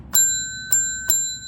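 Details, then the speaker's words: Tesla Model 3 Highland Long Range sound-deadening demo: the side of a bell with no damping mat struck three times. Each strike leaves a clear, high, bell-like ring that fades slowly; undamped panel, compared against the mat-treated side. "붙이지 않았을 때 사운드, 붙였을 때 사운드 완전히 다르죠. 이 철판이나 아니면 철판에 진동이 가해졌을 때 여기서 발생하는 주파수 자체가 굉장히 거의 이제 많이 상쇄된다고 보시면 될 것 같아요."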